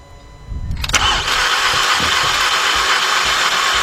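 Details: 2014 Volkswagen Beetle 2.0, cranks but won't start, after terminals tightened: starter churns at a steady, fairly quick cranking beat for several seconds but the engine never fires. Cranks, no start.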